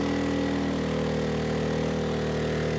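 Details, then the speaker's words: Erayak 4500PD dual-fuel inverter generator on propane, load raised to about 3,300–3,400 W: the drone's pitch sags lower as the engine slows and runs out of horsepower, so it is overloaded; propane gives about 10% less power than gasoline. "Yeah, the engine's slowing down, so let's turn some of these off. So definitely when running on propane, you don't have as much horsepower as on gasoline."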